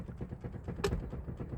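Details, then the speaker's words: Ford Mondeo Mk4, 284,000 km, engine off, steering unlocked and turned: dull low knocking with one sharper clunk from a worn steering rack, the distributor hitting the teeth; owner suspects a botched tie rod replacement damaged it. "słyszycie ten dźwięk To jest ten właśnie dźwięk który kopałem było ewidentnie słychać"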